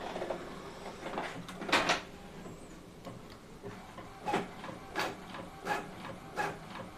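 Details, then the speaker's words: Epson L18050 inkjet printer printing 5 copies of the same page with quiet mode on: soft whirring passes roughly every 0.7 s, gentle paper-pickup clacks, somewhat louder on feed but still normal; no grinding, normal printing. "Jadi suaranya hampir sama. Lebih halus suaranya. Jadi kalau normalnya seperti ini, kalau untuk proses printing ya, pas narik tuh dia normal juga."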